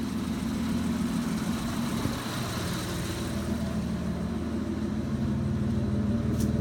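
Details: Mitsubishi 3000GT (GTO), with a slightly leaking oil pan gasket; the owner says the starter clicks badly. A steady, deep idle grumble with an even low pulse, no knocking or stumbling, and some street noise, idling normally.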